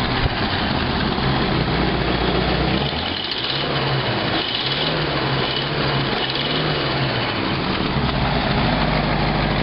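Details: 1952 Packard at steady idle: rough, breathy puffing in time with firing pulses over the engine note while tracking down exhaust leaks.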